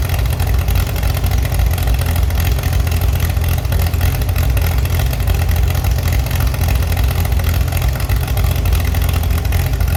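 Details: Chevy SS under restoration, engine restarted after the owner lowered the fuel level to fix a mistake. Loud, even low rumble held steady at idle with no misses or knocks: normal, healthy idle.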